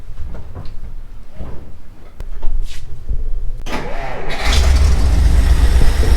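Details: 1957 Jeep FC170 sitting 50 years, first start with a carburetor meant for a 1975 Ford straight six, new radiator and a leaky old water pump: the starter churns briefly, then it catches and settles into a steady, even low rumble.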